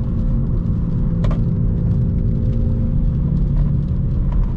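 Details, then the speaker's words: BMW M240i while driving: a steady low droning hum under road rumble, not from the engine, louder on right-hand turns and gone on left-hand bends, vibrating through the wheel; a wheel bearing is suspected. "a noise it's not it's not the engine so it gets louder on right hand turns"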